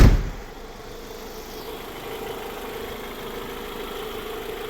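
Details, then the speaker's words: Honda CR-V after fixing a fuel pressure problem caused by clogged injectors, on a temporary battery: a quiet, even idle with a steady low hum and no misses or stumbles; the engine runs smoothly. "So, there it is. It runs good. It idle's great"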